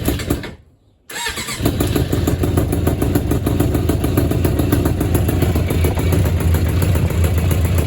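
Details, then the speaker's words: 1996 Suzuki GSX600F after engine swap, cold start without choke, carburetors still set for the weaker previous engine. Catches straight away after a quiet gap, then settles into a lumpy, deep idle with a slightly odd noise; running rich, enough fuel without choke. "I assume she's running rich. So now I'm gonna start without choke. If she starts up, that means she's running really rich."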